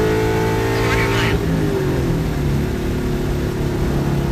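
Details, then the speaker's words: 98–04 Mustang Cobra V8 on a hard pull: note drops at the shift then sounds ragged and uneven under load; high-rpm breakup between shifts, owner suspects fuel pump flow, unconfirmed. "the car is obviously breaking up in between shifts that's not a good thing either"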